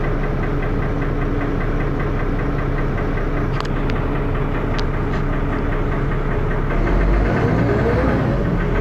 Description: First Manchester Dennis Arrow, with has a loud 'knocking' noise, and also with lots of thrash!